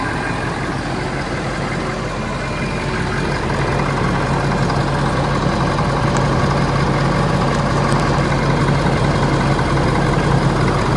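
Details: Ford F450 Power Stroke diesel, cold after new serpentine belt, warming up: steady, even clatter at idle with no belt squeal or chirp from the front. Normal idle.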